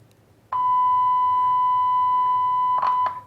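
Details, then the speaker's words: Grundig Transworld Petite radio repair, audio stage signal-injection test through the OC71 transistor: a clean, steady 1 kHz tone reaches the speaker for about 2.5 s, so the audio chain passes signal. "So, it's going from here to here, either way and going all the way out to the speaker. So, this chain seems to be working okay."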